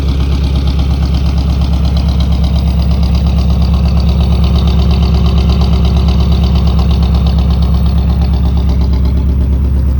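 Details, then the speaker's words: 1964 Buick Riviera V8 revived after sitting 23 years, warmed up with idle raised, charging 13.2 V, recorded at the tailpipe; deep even burble with a steady regular beat, no misses or ticks, healthy idle. "good that sounds sweet great all right sounds beautiful"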